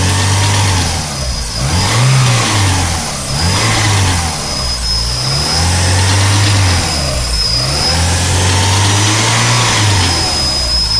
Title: Strange clunky noise at 3000 rpm B234FT